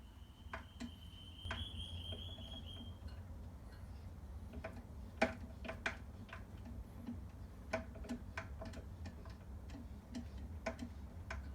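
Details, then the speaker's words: Scott Bonnar Model 45 cylinder mower, with both sides of the reel adjusted to the bedknife: light, soft ticks roughly every half second as the reel turns, even and gentle, showing minimal contact, hopefully even across the whole bedknife. "okay so now I've adjusted both swords and I can hear that uh The Reel is making minimal contact on both hopefully evenly across the whole dead knife at this point"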